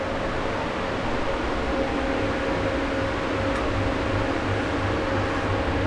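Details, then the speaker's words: Balcony exhaust fan with asynchronous motor on a new speed regulator, running at low speed: steady, even rush of air with no motor hum, normal with no vibration or noise. "на двойки ролика принципе нормально вибрации такое шума нет"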